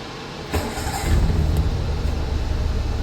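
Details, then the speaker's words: Cold start of a 90s all-stock carbureted Daihatsu Charade, engine very cold, in neutral with the manual choke pulled: brief crank, then it catches and settles at a steady, even fast idle around 1,000+ rpm; normal cold start. "Yan, mandar na yung makina natin at ang RPM niya is around 1,000 mahigit."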